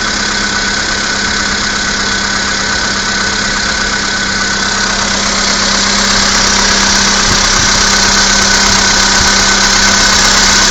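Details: Skoda Fabia II 1.6 CFNA, 22,000 km, cold start at -16°C: loud cold idle with a steady tapping knock about four per second over an even hum; origin of the knock unknown.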